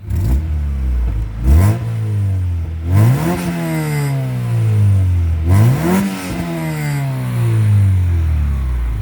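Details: 1990–91 Honda Civic hatchback with HKS exhaust: repeated clean blips rise smoothly and settle back to a steady idle with a deep, even exhaust note, no puffing or rasp.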